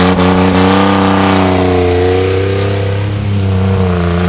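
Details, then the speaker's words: 4.3 turbo parts truck held hard at high revs: a fast, slightly uneven tick over the roar before the turbo feed line blew and the engine died. "oh i can hear it ticking she's coming fire there it goes"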